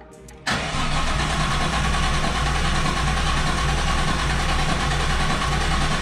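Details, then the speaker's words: Nissan R32 Skyline with swapped RB25DET and rewired harness: starter cranks steadily about four beats a second but never fires; fuel pump runs and fuel smelled in rail, so missing spark suspected. "i guarantee you got fuel at least in the rail so see spark would be the next thing"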